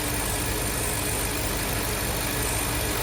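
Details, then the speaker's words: 2023 Ford Super Duty F350 7.3 Godzilla V8, driver-side random tick/pop chased to a loose, wobbling upper idler pulley, now replaced: steady, even idle with faint regular pulse, no squeal or chirp; ladder creaks heard; normal idle after repair. "Well, I changed it out. And although the new one has some play See it? It's nowhere near as bad as the old one. Now I will say the old one was loose."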